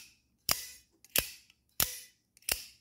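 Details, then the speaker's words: Joker Cupid-style out-the-front automatic knife before greasing: four crisp snaps, each with a thin fading metallic ring; dry internal springs twang on deployment, silenced once springs are greased. "this Joker Cupid style knife out the front Boeing not too great sounding"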